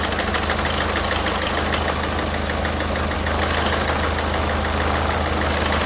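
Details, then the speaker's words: Partner 1.6 HDi diesel after replacing worn injector seals: steady idle with light even clatter, no hiss or puffing; the earlier injector leak noise is gone. "Donc c'est bon, le bruit est parti."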